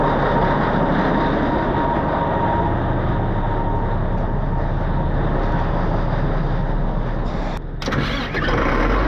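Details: 637 scraper diesel, long-sitting machine, after reinstalling repaired switch and checking oil pressure, fires and settles into a steady, even chug with a brief dip near the end; engine starts and runs normally.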